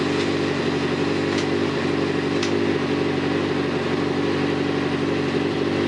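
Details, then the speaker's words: Kawasaki ZZR 600 with a rebuilt replacement engine and stainless 4-into-1 exhaust, first start, warming up with coolant temperature rising: a steady fast idle with a smooth, even exhaust note and no knocking or misfires. Normal warm-up idle. "Cooling temperatures coming up. Engine sounds good. I love this stainless 4 to1 exhaust I put on this bike."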